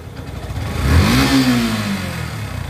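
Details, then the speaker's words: Yamaha FZS version 3 engine after setting tappet clearance, previously chain noise when releasing clutch and bad noise when hot; pitch climbs smoothly and settles with no ticking or chain rattle, clean healthy rev. "তো ইঞ্জিনের সাউন্ডটা শুনুন। FZS বাইকের মানে টেপিট clearance ঠিক রাখার পর এত নিখুঁত সাউন্ড আসে খুব কম।"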